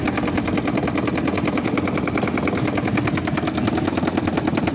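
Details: Panasonic washing machine: fast steady rattling knock, about three per second, whole time the drum turns; loud knocking suspected from the gearbox underneath.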